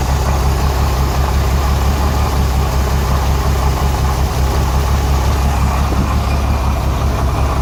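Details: Renix Jeep Cherokee six-cylinder at idle: deep, lumpy idle with an uneven chuff breaking the rhythm every few beats; cylinder 6 misfire from an overtightened exhaust rocker moving less than the others; backing the bolt off cured it.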